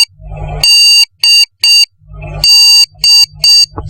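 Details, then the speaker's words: Desktop computer at power-on with no display and blinking display light: one long beep then two short ones, repeating about every two seconds; RAM fault beep code, fix by removing and reseating the RAM. "लेकिन केवल इस तरह की beep आती रहे और आपका display ना आए। तो इसका मतलब है रम की प्रॉब्लम है।"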